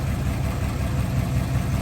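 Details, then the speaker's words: 1955 Buick Special Riviera, one owner, 264 V8, automatic, running: deep, steady low rumble with an even beat and no knocks or misses. Smooth, healthy idle. "nice and smooth."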